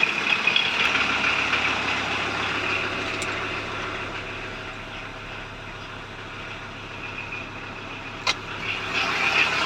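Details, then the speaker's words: 1994 VW Transporter T4 2.4 diesel, first start, out of gear, manual choke slightly pulled; constant high metallic whine over quiet idle, unchanging; worn clutch release bearing, suspected to have gone through the clutch cover, clutch badly damaged. "mean, not as bad yet, nearly as bad. It's fairly bad there now, but yeah, I'm just going to let this down now."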